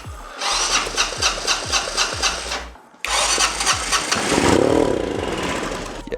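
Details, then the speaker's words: 1985 Honda Elite scooter cranking slowly then catching with a rough, coughing, struggling run; carb floats suspected stuck, leaking gas and flooding the cylinder with a lake of fuel. "this thing is having a really weird day it it doesn't know what to do with the amounts of fuel that it's getting in all different directions"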